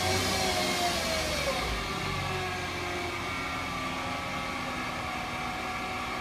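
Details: 2008 Mercedes-Benz C300 V6, stock exhaust, cold start and revving: a steady high whine rides over the engine and holds through the revving; a failing alternator, and replacing the alternator cured the noise.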